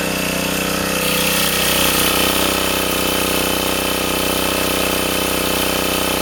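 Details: Sportsman 2000 W generator under 750–1500 W space heater load after adding a spring to dampen the overreacting governor: even, unwavering engine drone with a faint steady whine, no hunting or surging; cycling gone.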